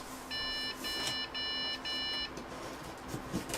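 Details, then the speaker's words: Budget gaming PC at power-on: three short high beeps about half a second apart, then silence, monitor off; a POST error, owner suspects the GPU expects an 8-pin power connector but only a 6-pin cable is connected. "let's power this guy up I'm just trying to show you know power work what is that three beeps does that mean it's about to explode"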